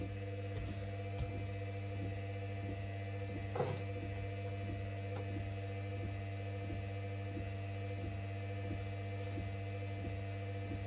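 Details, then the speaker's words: Washing machine that hadn't run in a while, spinning at about 400 rpm: steady low hum with a faint regular tick about every half second; owner suspects motor bearings starting to go, possibly from disuse. "oh sounds like the um motor bearings are starting to go on this but it hasn't SP but the machine hasn't ran in a while so that might be why"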